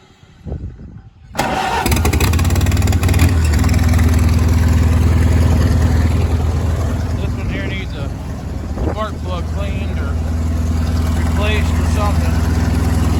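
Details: Farm machine, started: after short crank, loping uneven low chug about four beats a second with occasional stumbles, suggesting misfire; cause not confirmed.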